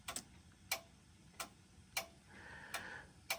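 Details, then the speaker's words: General Electric Japan-made stereo, selector knob turned to the right: crisp single ticks about every half second to second, each one clean; normal knob detent clicks, the switch works. "so if you guys can hear that clicking sound every time I turn it on turn it to um this side you will see when I turn this to the right side you're going to hear a clicking sound"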